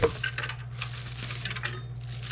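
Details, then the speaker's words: Replacement power supply for an In Win custom gaming PC, shaken over a low hum. Light metallic clinks and tinkles show a loose part rattling inside, so the supply is rejected. "is not going to work can you believe this listen to this well there's something rattling around in this so i'm certainly certainly not using this power supply"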